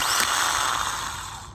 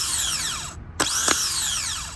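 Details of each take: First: Old aftermarket reman starter from a 2000–2004 Nissan Maxima with a no-start, bench-tested on 13 V: spins briefly with a rough, gritty grinding under its whir, then winds down; internal starter motor grinding, unlike the smooth new one. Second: Replacement starter for a 2000–2004 Nissan Maxima, bench-tested on 13 V: the gear pushes out and whirs up to a clean high whine, then winds down smoothly with no grinding, unlike the grindy old starter.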